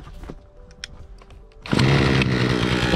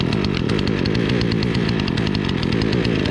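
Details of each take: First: Remington RM4620 chainsaw that was bogging and would not rev, now after cleaning, fresh fuel, a cleaned air filter and removal of the spark arrestor; it snaps up to a clean, steady high scream with no bogging. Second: Remington RM4620 chainsaw on freshly mixed fuel, before repair: drones at a flat, held-down pitch and won't rev up as it should; bogging, traced to a clogged spark arrester and dirty air filter.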